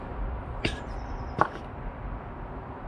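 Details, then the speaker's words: Cosworth BOB V6 in an XR4i, variable intake retrofit: two short sharp hisses as a BMW EGR vacuum solenoid is powered from the battery and vents vacuum from the reservoir, working normally. "hear the hissing sound that's the vacuum escaping from the reservoir ha ha it's working that's cool"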